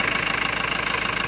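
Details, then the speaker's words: 2.2 L Ford Transit common-rail diesel after replacing the high-pressure pump's fuel metering valve (not yet coded): steady, even idle with a regular beat and no rise and fall in revs. "that does make a difference though so i need to do that still but it's not surging it's not going up and down in the revs so that seems to affects it on its own so far"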